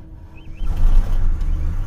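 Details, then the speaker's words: BMW 750Li 7 Series at auction lot, expected not to start: quiet crank, then the V8 fires into a deep rumble with a brief rattle at startup; source unclear. "whoo she fired up though but did you hear that rattle"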